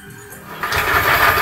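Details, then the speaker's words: Yamaha Aerox scooter with rough engine noise, CVT belt disconnected from rear pulley so wheel not driven: coarse, gritty idle rumble persists, showing roughness is inside the engine; later fixed by replacing camshaft bearings. "nah suara ini masih tetap seperti ini ya teman-teman ya ini untuk meyakinkan bagi teman-teman pemula bahwa perusakan ini ada di bagian posisi mesin"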